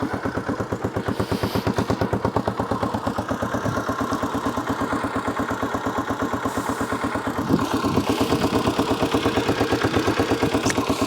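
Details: Honda XL250R single-cylinder idling with an even, steady thump about three beats a second after oil leaks were fixed and a new battery fitted; healthy idle.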